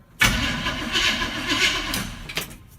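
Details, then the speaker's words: 1965 Chevy pickup, rebuilt and parked 15 years, turned over on the starter before fueling: brief, even starter whir with the engine spinning freely and no binding or drag; turns over easily and isn't seized. "oh she'll turn over she lava bust oh feel pretty easy"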